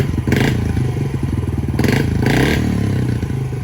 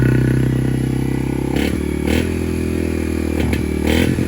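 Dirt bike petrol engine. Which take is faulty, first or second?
second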